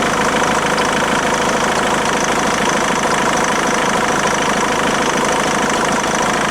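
Diesel idling with a dense, rattly clatter and an irregular knock at about three per second; some abnormal noise, cause unknown.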